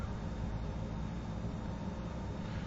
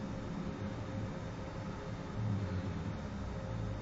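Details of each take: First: Shop waste-oil furnace with compressed-air spray nozzle, restarted after soot was burned and blown out of the stack: steady, even low roar from the burner with no pulsing or puffing, firing normally. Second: Shop waste-oil furnace restarted after oil dripped into the box overnight when the compressor feeding the spray nozzle was shut off: deep, steady roaring rumble with a surge as the flooded burner blows black soot and carbon out of the chimney.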